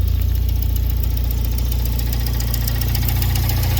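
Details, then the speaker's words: Fiat Punto after swapping the 1.2 8V for a Fiat FIRE 1.4 8V engine, first test run at idle: steady low idle with a faint, regular rub-like pulse from between engine and gearbox; owner wonders if a metal shield rubs, unsure. "Ihmeellinen tuo hinkkaustaaani vieläkin jostakin.Se kuuluu niinku toista moottoria vaihteiston välistä."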